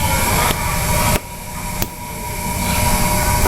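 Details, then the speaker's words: Yamaha NMAX scooter after makeshift repair of a broken intake resonator with a spray bottle. Even engine note with a brief dip and recovery, no rattle or buzzing from the intake; the snoring noise is gone and it runs normally. "sekarang gak ada suara aneh lagi tinggal cek aja apa sudah aman atau enggak"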